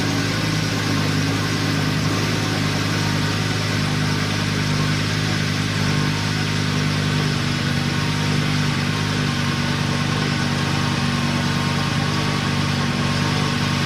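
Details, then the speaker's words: Wrecked Lamborghini Gallardo V10 after rebuild with new crankshaft seal and exhaust installed, first start: steady even idle, smooth low burble, no knocks or misses, slight burn-off from condensation; normal idle. "As you can see, the car is actually running good. It also sounds good."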